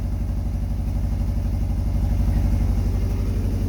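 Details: Subaru Forester boxer engine at idle, just fitted with welded-in unequal-length headers on the stock exhaust after two head bolts broke. A sharp puffing tick about four per second rides the exhaust pulses: a header joint leaking at the front.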